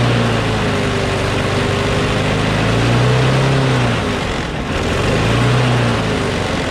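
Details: Craftsman push mower with a Briggs & Stratton Quantum engine, about 23°F, after easing spring tension: steady, even drone with a slight rise and fall, sounding much better; slight vibration, owner suspects the blade is a little out of whack.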